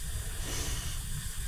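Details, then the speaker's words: Old air compressor refitted with new parts: continuous airy hiss over a low rumble as pressurised air leaks; tank pressure fell from over 200 to just under 150 PSI. "I'm going just do this up as tight as it can go and then hopefully that'll stop the um the leak cuz you can hear the L leaking"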